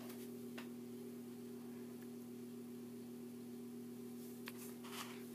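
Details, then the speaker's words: 42" Hampton Bay Littleton ceiling fan running on low speed: faint steady buzz over the quiet fan from one particular light-kit screw vibrating heavily; touching it changes the noise. "yeah i apologize it's so loud is this this particular screw that i'm touching is really vibrating quite a bit that's what's vibrating so much"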